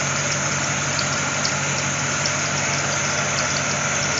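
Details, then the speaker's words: C4 Corvette A/C converted from R12 to R134a, charged with can held upside down adding liquid refrigerant, engine idling: harsh strained hiss and faint rapid knocking as compressor labours at very high pressure; liquid slugging, pressure then falling to green zone. "compressure sounds terrible there we go see it's falling down into the the green zone that's what we want"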